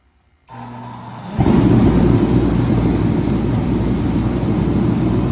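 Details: Remington 135 (REMT-135T-KFA-O) heater after repair, pressure set to 5 PSI, final test run: after a short hum it lights into a steady, even roar with no sputter or surging; running cleanly.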